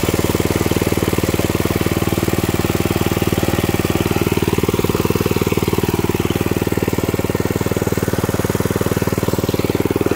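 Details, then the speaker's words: 1979 Mountfield M1 Monarch 5HP rotavator, first start in 20+ years after new coil, fuel pump diaphragm, plug and exhaust, second pull after choke: even steady thump about four firings a second, no misses or knocks; running smoothly. "I choked it pulled it spotted and then first pull and it really went really impressed"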